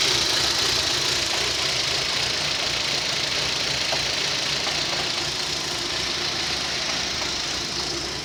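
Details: Rover 25 1.4 petrol, warm start: uneven hissy idle that stumbles now and then; intermittent at starts, fuel pump first suspected, traced to a faulty lambda (O2) sensor, fixed with a used replacement sensor.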